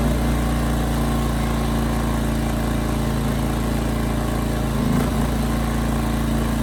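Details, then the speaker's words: Ryobi RYI2300 inverter generator, about 15 months old, after replacing a plug with a new one: steady hum that wavers and dips briefly, running about the same as before; surging not fixed, new carburetor planned. "so that's about what I thought it's running the same as it did before maybe slightly better but problems not gone"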